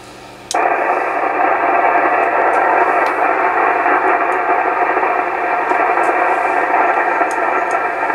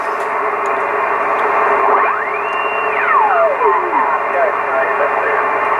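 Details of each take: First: Classic Yaesu FTDX-560 tube ham transceiver just fired back up: hiss jumps up at power-on with scattered sharp crackles; indication of a dirty tube socket. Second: Yaesu FTDX 560 vintage transceiver on 40 meters with antenna connected, noise peaked: steady band hiss with a whistle sweeping up and back down while tuning; receiver alive, normal receiver band noise.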